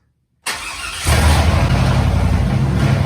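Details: 2002 Chevy Tahoe after a fuel pump replacement fixed its no-run problem: brief crank, then it fires within a second and holds a steady, smooth idle with no misses or knocks; healthy start.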